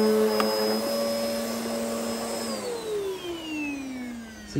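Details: Hoover Hurricane 2000 watt bagless Pets upright vacuum on carpet: strong, steady motor whine with a smooth brush sweep, pitch easing down near the end; brush bar and suction working normally, healthy operation.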